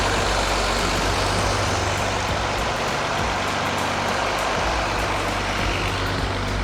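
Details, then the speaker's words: 1983 Mercedes-Benz W126 280SE inline six, 10 years in a barn, running: steady even note with a low firm hum and no misses or knocks. Early RPM dips gone; it sounds like a diesel. Normal running. "it runs amazing at the first we had a bit of dips in the in the RPM but now it's actually starting to uh to run real smooth I was just letting them hear uh how good it runs yeah it's like a diesel"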